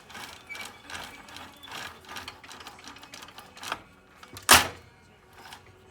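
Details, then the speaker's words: 2015 Luyuan 40cc pocket bike, wheel spun by hand after clutch and transmission replacement while setting chain tension: light ticking then one sharp snap as a stiff, non-flexing chain link jumps the front sprocket. "When it would get to the front sprocket, it would start to jump the gear because it wasn't flexing anymore."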